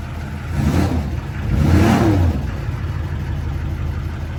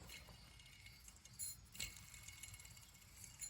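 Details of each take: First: 2004 Duramax LLY diesel after replacing the accessory belt, idler and tensioner. Runs smoothly through a short rev and settles, with no squeal, chirp or rattle from the belt drive; fixed. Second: 2004 Duramax LLY diesel, removed idler pulley spun by hand: dry, gritty rasp with scattered ticks as it coasts, bearing has a lot of play; worn idler pulley bearing, being replaced along with the others.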